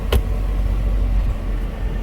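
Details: Hummer H3 with about 220,000 miles, on the lift after transfer case repair, engine running with driveshaft installed, now showing four-high: steady low even rumble, no clunks, knocks or grinding; driveline running smooth and healthy.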